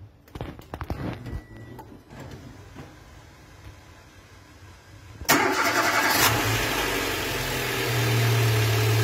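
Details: 2019 Renault Symbol 1.2 16v at 60,000 km had vibration when cold. After an oil change to better-quality oil, it was cold-started after about four hours off: it catches cleanly into a steady, stable idle with no shake or stumble.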